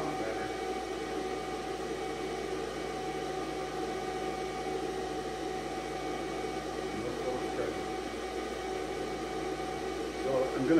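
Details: 2002 Ford F-250/F-350 7.3 Power Stroke, key on with battery charger, injector buzz test after reseating/replacing right-bank valve cover gasket connector; steady even buzz, no dropouts, no codes set. Later found rubbed-through 115V injector feed wire at C110.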